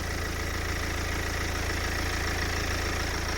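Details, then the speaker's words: BMW E91 318d Touring diesel with about 160,000 miles, idling with the bonnet open: a steady, even idle with a low regular chug and no ticking or timing chain rattle. "this runs absolutely fine there's no ticking move away you can hear me there's no ticking there's no sounding of that timing chain problem"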